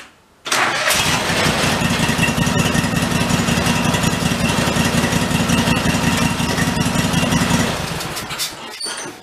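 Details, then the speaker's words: 1991 Craftsman GT garden tractor, jacked up with one wheel off the ground, in gear: engine catches straight away, runs steadily about seven seconds then dies; seat safety switch cutting engine, may need bypassing. "i gotta bypass the seat safety he's not letting me do what i want to do i might have to jump that i'm not sure yet"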